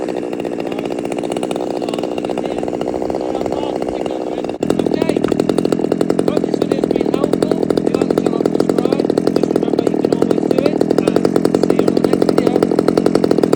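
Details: Stihl MS200T chainsaw after repair, started outside: steady two-stroke buzz that jumps to a higher, even pitch after a few seconds; runs smoothly with no hunting or stalling, and the chain should not turn at idle.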